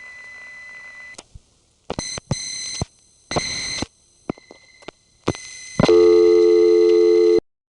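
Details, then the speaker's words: 1970s #1 Crossbar office, Grand Concourse, Bronx: steady high whistle near 2 kHz under call tones, the revertive-pulsing signaling tone leaking through a poorly designed 1950s–60s trunk circuit sending revertive pulsing over carrier. "why was that connection so noisy the answer poor design of an old trunk circuit that was installed a lot sometime probably in the 50s or the 60s where revertive pulsing is being sent over carrier to send reverta pulsing over carrier they had to use a special signaling tone two kilohertz"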